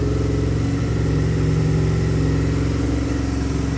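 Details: 2002 Aprilia RSV V-twin barn find after fuel system rebuild, larger battery fitted: deep even beat holds steady with no misfires, stumbles or ticking; running cleanly and healthy.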